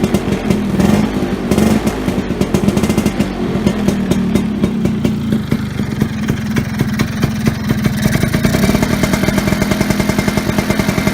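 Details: Vespa Sprint Veloce first start after wiring harness repair: catches and settles into an even, crisp two-stroke putter with light clatter and a few throttle blips; running clean.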